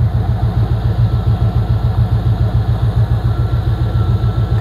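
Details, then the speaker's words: Engine after head gasket replacement with new plugs and thermostat, running on headers without mufflers: deep, even idle thump about three and a half beats a second, loud, no misses or ticks, purring: normal idle. "all right listen to that thing purr"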